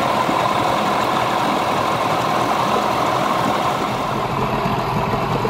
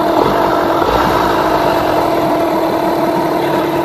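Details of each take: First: Yamaha 15hp two-stroke outboard with rebuilt power head, after ignition timing and carburettor tuning, idling with the cowl on: even, unbroken putter at constant pace without stumbles or surges; idles pretty smooth, normal idle. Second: Yamaha 15hp two-stroke outboard with rebuilt power head, during carburettor tuning after a rev: fast, buzzy idle holding steady with a crisp rattle; idle speed a bit too high, so the idle speed screw is backed off.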